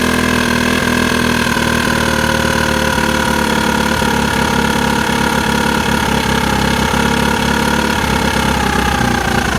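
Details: Engine idling with a just-cleaned, spotless carburetor: uneven idle with irregular stumbles and shaky low rhythm beneath a steady hum; rough idle, cause not yet found.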